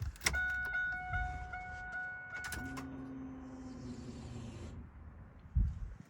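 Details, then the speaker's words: 1998 Pontiac Trans Am LS1 after fuel rail removal and injector cleaning: key click and warning chimes, then a steady low hum for about two seconds that stops; normal fuel pump priming of a partly emptied system. "little bit of air going to Prime the system since a lot of it is gone"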